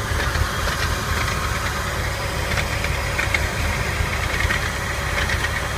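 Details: 1999 Porsche 996 at idle, recorded under the car directly below the engine/transmission: loose, busy metallic rattle with no clear rhythm; rattle, source not yet pinned down.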